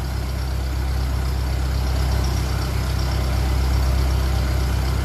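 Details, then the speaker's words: 1957 Ferguson 35 TVO tractor after removing the offending push rod and resetting the valves, warming up: steady, even low idle and then a bit more rev, with no tappet tapping from the top end. Normal idle. "Hopefully that's going to sort it. That sounds very good now. Bit more rev. It's warming up."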